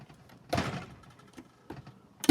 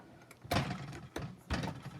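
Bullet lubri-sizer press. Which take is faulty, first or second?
first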